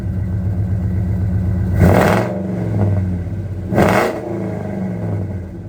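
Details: 2002 Ford F150 Harley-Davidson supercharged V8 with long tube headers, high flow cats and new mufflers, fully warmed up with full oil pressure: lumpy idle with two sharp throttle blips rising and settling cleanly, throaty; normal exhaust note.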